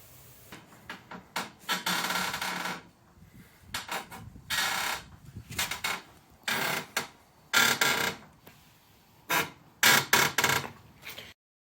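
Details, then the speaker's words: 2006 Honda Accord 2.4L, driver's side front suspension: loud, dry creaks in uneven bursts as it moves; dry lower ball joint, later fixed by packing silicone grease under the boot. "This is just a guy in his garage follow-up episode to my previous videos of having a really annoying creaking sound coming from my driver's side car on my 2006 Honda Accord 2.4 liter."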